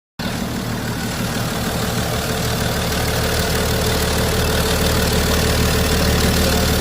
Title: BMW 535d xdrive. First start after replacing failed HPFP, injectors, LPFP and rail sensor+ regulator